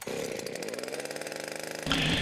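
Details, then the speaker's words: Wick 100G fire pump small petrol engine just after recoil cold start, choke opened, throttle set to idle to warm up at least a minute: catches and settles into a quick, even firing beat with no misses; normal. "with the engine now running set the throttle to the idle position for at least a minute to allow the engine to to warm up"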